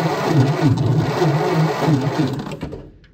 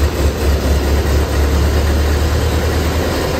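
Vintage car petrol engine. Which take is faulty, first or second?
first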